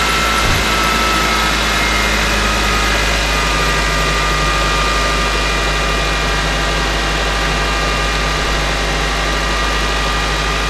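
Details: Nissan Sylphy/Bluebird that had battery trouble and hard starting, winter morning at 0°: starts cleanly into a steady, even idle hum with no knocks or misses. Battery read 12.77 V before start and 14.62 V running; alternator charging fine. Normal idle.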